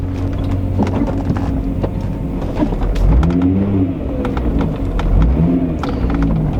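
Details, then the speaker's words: Mk3 car driven over driveway bumps after rear exhaust adjusted and heat shield bolted down: tyre and road rumble with soft thumps, new parts still squeaking, but no tinny metallic underbody rattle; rattle fixed. "I'll put on the driveway hit the bumps that's a girl car for sure though the new parts still squeaking other than that though I think I don't hear the other rattle anymore"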